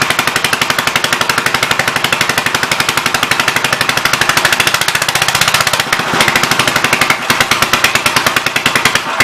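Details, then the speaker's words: 1958 Gravely L/LI single-cylinder tractor, first start after years sitting, leaking fuel, old oil: loud sharp pops about four a second, uneven; running rough and backfiring through the intake, igniting leaking gasoline. "That sucker popped back through the intake and lit up all the gas that was leaking out."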